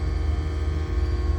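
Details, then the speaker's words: Aqua Hot 400D diesel motorhome hydronic heater burner after yearly maintenance (new fuel filter, cleaned chamber and burner, new fuel nozzle), cover back on: steady even low roar with slight pulsing flutter, no knocks or squeals; normal running. "Let's fire it up and see how it's working. All right, we just put the cover on and just turned it back on. It's currently running."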